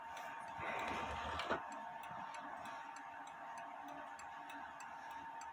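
Quick, steady ticking near four beats a second with an even rhythm; the clock is running normally.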